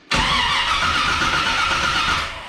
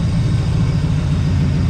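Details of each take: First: 1982 Chevrolet Camaro being reassembled, exhaust hooked up, timing being adjusted: starter cranks steadily about two seconds then stops without catching; power wire to distributor never connected, so no ignition power. Crank, no start. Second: 1982 Chevrolet Camaro V8, warmed up on years-old gas, homemade side pipes, no fan fitted yet: deep even burble at steady idle, no misses, ticks or knocks, calm. Normal idle.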